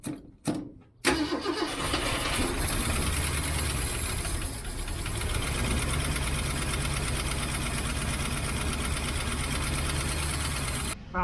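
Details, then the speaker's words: 1967 Mustang 390 V8 cranking and settling into a fast idle, with Seafoam and Rislone added: light quick valve train lifter tick; owner suspects a bent pushrod or stuck valve. "well 30 minutes of running with seafoam and rizone in it is not going to clear the lifter tick up so I've got something else going on in there I may have a bent push rod"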